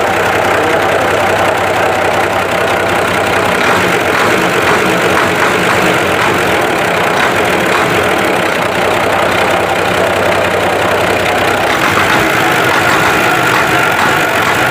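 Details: Isuzu diesel with overheating and white smoke idling with a harsh, uneven clatter and a steady hiss on top; rough idle, cause unclear.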